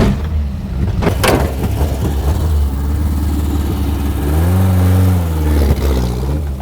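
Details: About 50-year-old Mk1 Ford Escort camper, old bright green fuel drained, manual fuel pump needing extended crank: low uneven churning of a long crank, then it catches and revs up smoothly once fuel reaches the carb; normal cold start after long storage.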